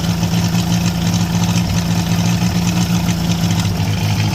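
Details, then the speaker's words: International Harvester B275 diesel tractor started with glow plugs and ether: roars at a high steady speed it won't come down from; runaway, injection pump rod not pulled back. "as you saw in our last video uh we went ahead got that to turn over and start uh but then it kind of ran away from us so I did a little more digging on this pump and the issue that we had was this Rod was not getting pulled all the way back to shut this off"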